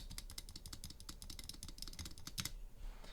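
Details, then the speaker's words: Spacebar on a PCB with Durock/Everglide stabilizers, stock and unmodded: rapid presses give sharp clacks with a loose, tinny rattle on each stroke. Stabilizer rattle is partly due to the design of the slider. "here i have a pcb with some duroc stabilizers on the space bar you can see that it's fairly rattly it's not terrible but it's certainly not ideal"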